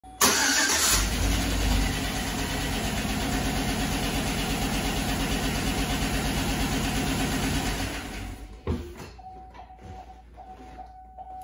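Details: 2007 Chevy Avalanche 5.3 V8, lifters previously replaced, cranks, starts and idles with a light, quick ticking over the rumble: a collapsed hydraulic lifter, the tick has returned.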